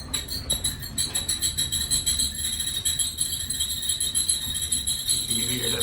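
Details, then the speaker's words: Maytag Centennial dryer running: shrill steady squeal pulsing with each drum turn from a dry, worn drum support wheel. "I found the sweet and the squeak is actually in this wheel and I'll show ya there's is in this wheel right here this is where I'm a squeak is"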